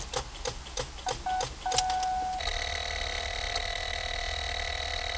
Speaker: so if it is your battery you'll probably hear a rapid series of clicks it may sound something like this